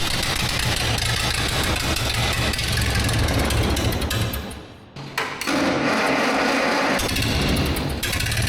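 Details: 1947 Tournapull D4 scraper engine, first start after sitting over ten years: it dips, restarts and settles into a fairly steady idle; it runs fairly well, but the carburettor needs fine-tuning and the throttle control isn't working right.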